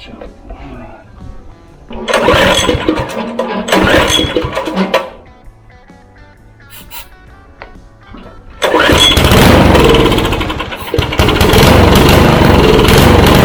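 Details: Craftsman rototiller after pull-cord replacement and a fuel problem: pulls, catches and runs with an even small-engine rattle over background music; starts and keeps running as it should.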